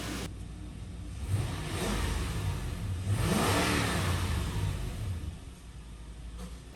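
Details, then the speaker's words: Lexus GX470 after alternator replacement, idling about 10 minutes then revved: engine rises smoothly and settles back to a steady idle with no knocks or whine; sounds normal and holds voltage. "it's been a little over 10 minutes still sitting here idling sounds like it's running it sounds like normal"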